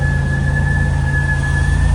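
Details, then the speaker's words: Demolition-derby car project idling: a steady high whistle holds one pitch over a low, even idle rumble; the source of the whistle has not yet been found. "That whistle noise is interesting."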